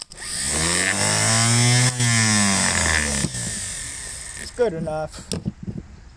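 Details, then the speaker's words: 1957 Gravely L starter after a quick repair, tested on the bench: smooth whirring whine winds up, holds steady, coasts down, quieter and faster than before with no drag or scraping; normal starter spin. "starter seems to be spinning even faster than it was before"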